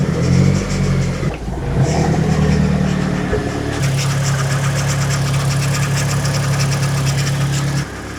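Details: Mazdaspeed 3, first start after six years; after rough start idle steadies with fast light rattle from belt area. Owner suspects power steering pump low on fluid.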